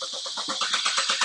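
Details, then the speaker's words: 2014 Chevrolet Cruze turbo with intermittent stall and no codes, during diagnosis: steady starter whirr with even pulses near eight a second, never catching; crank no start from loss of coil ignition control. "still still crank no start so let's hopefully we can hit this fast enough"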